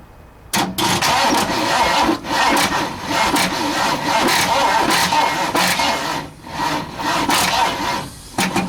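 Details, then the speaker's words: 1960 Ford F100 with 351 Windsor V8, not run in decades, valve cover off, after briefly running: starter grinds in uneven bursts that sag and slow between attempts. Weak cranking from a poor battery running flat. "Like my batteries did. Well, so much for that. It wasn't a real good battery, but it did start and it did run."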